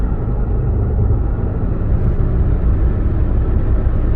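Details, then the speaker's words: 2011 Ford F-150, 230,000 km, road test pulling onto highway: severe driveline shudder and low drone, reduced on decel and in neutral; failed rear axle pinion bearings, axle rebuilt. "so I'm pulling out onto the highway here and it's got a horrendous shutter in the Driveline like the hanger bearing is gone or something"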